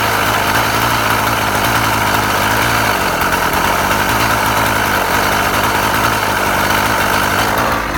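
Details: Husqvarna 36 chainsaw after repair (impulse piece found at fault), warming up: steady, even buzz with no misses or surging, runs cleanly; restarts first pull every time, needle bearing still awaited; normal idle.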